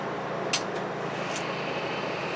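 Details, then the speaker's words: Yard-sale 486 PC running, heard from the case: a steady, rough whooshing hiss with faint ticks as one cooling fan sounds worn and gnarly. Noisy cooling fan. "and there's a fan in there somewhere that sounds pretty gnarly"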